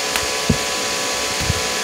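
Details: IGBT inverter welding machine after PCB repair, safety bulb on AC input, output at minimum current of about 10–20 A: steady crackling hiss with faint even tones and soft thumps; arc holds normally.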